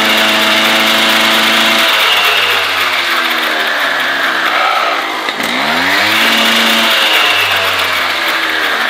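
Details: MBK 51 Hard Rock two-stroke moped's first run after reassembly: a high buzzy note rising and falling with the throttle. The light rattle is a vibrating toolbox; the engine sounds clean.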